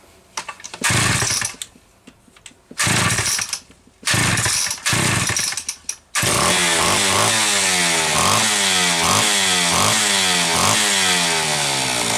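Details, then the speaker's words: Homelite Super XL chainsaw being diagnosed for boiling fuel and overheating, after a starter spring fix and replacing a bad new spark plug. Short rough bursts, then a steady, low, even two-stroke idle with the idle backed well off; owner sees it as evidence it ran lean. Normal low idle. "but I want you to listen to How Low this is idling and see how far this is backed off further evidence that she was running leaned"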